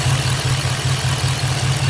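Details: 2006 Chevrolet Impala SS with LS4 5.3L V8 and 69,000 miles, codes P0118, P0300, P0307 with misfires across all cylinders; lumpy, uneven idle with a stumbling low beat and skipped pulses.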